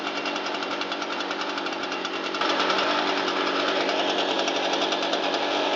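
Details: Shindaiwa EB802RT two-stroke blower on a test run after fixing a backwards-installed replica carburetor and fitting new fuel hoses; choke off, a touch of throttle: a crisp, steady buzz that lifts cleanly and holds even with no surging. Normal running.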